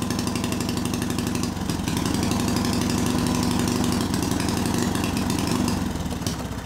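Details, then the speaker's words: Small see-through single-cylinder turbo engine on Amp-EFI and gasoline: runs unevenly with an irregular stumbling beat, then fades out; spark energy had fried the crankshaft position sensor, leaving the ECU with no crank signal. "Morreu Comecei de novo e depois desapareceu longe E então eu tentei iniciar esse mecanismo por mais de 9 minutos"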